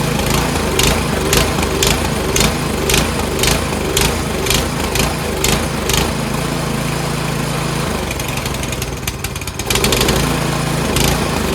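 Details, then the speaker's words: Troy-Bilt Storm 2410 two-stage snowblower, old carburetor cleaned including pilot jet: speed rises and falls about two pulses a second, hunting not steady. "So we just ran it for a little bit, and unfortunately it still does surge. The only time it doesn't surge is when you have the choke like halfway, and it runs good."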